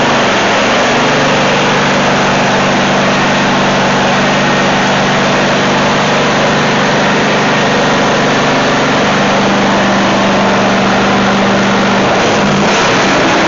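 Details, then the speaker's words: Dixon zero-turn friction-drive mower after new deck spindle bearings, new belts and transaxle cones, parking brake on: steady engine drone with even deck whir, no grinding, squealing or knocking; normal deck operation. "but we're uh we're checking the uh the deck, you know, for you know, how quiet and smooth."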